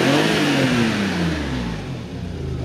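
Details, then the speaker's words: Another Maserati 4.24v Biturbo V6 with a Getrag gearbox and an aluminium radiator, accelerating: a strong airy rush with a falling tone as the turbos spool clearly. It is quieter under acceleration than at idle. Normal turbo sound. "also when you accelerate the noise drops it makes less noise when you accelerate than at idle"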